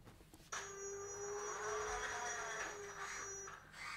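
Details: Sensorless VESC motor controller on firmware 4.00 running high frequency injection (HFI), driving a vehicle around the floor: thin steady whistle plus a higher pure tone, sharp onset, holding level; typical HFI injection whine.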